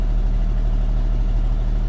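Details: 1994 Isuzu cab-over diesel truck with Allison automatic, sitting 3 years, restarted after sitting a while: deep steady idle, even firing pulses, no stumbling or knocking; healthy restart.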